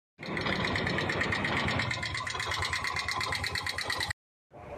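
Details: Bajaj Maxima / RE four-stroke auto rickshaw single-cylinder engine at uneven idle: fast light ticking about three per second, tappet noise from valve clearance needing tappet adjustment.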